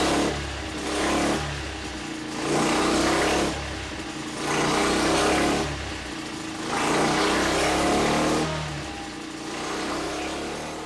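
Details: Freshly built Tillotson 236R engine on the dyno, running in on break-in oil at quarter to half throttle, sweeping the revs about every two seconds. It pulls smooth and clean with no knocks; the rings appear bedded in.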